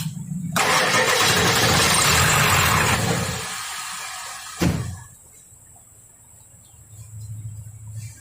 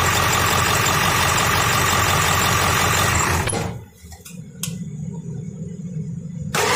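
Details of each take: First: Ford 7.3L diesel with code P1211, which previously took 4-5 seconds to start, lacked power and stalled, now after repair and an oil change: loud crank catches in about three seconds into a steady idle; normal start-up. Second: Ford 7.3L diesel with code P1211, after a new injection pressure regulator was fitted, at idle: a steady rough clatter with a busy knock rhythm. Duty cycle is now lower, pressure around 500; fits an injection control pressure fault, code still returning.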